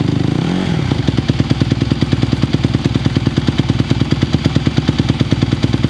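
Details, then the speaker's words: 2020 Honda CRF150R four-stroke single dirt bike, long-sitting, started from cold after adjustments, choke off: after a brief rev it settles into a steady, regular single-cylinder idle thump; holds idle cleanly though still a little cold. "it does feel better. It's still a little cold. I think these guys are a little cold-blooded, but throttle response with the choke off did feel better."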